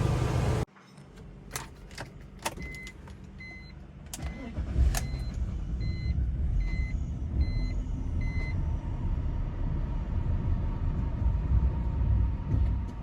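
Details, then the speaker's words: 2000 BMW 328Ci (E46): few clicks, then cranks and catches into an uneven, lumpy idle that wavers and never settles; starts but runs rough and dies almost right away unless the gas pedal is kept pressed; cause unknown. "it starts but it runs rough but it dies almost right away you have to keep pressing the gas pedal"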